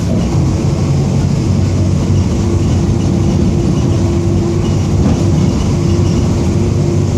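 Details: 2007 Torino MBB OF-1722M diesel city bus, Grande Londrina 3311, line 314, at constant speed: steady mid-pitched hum over the heavy driving rumble; worn, whining rear differential.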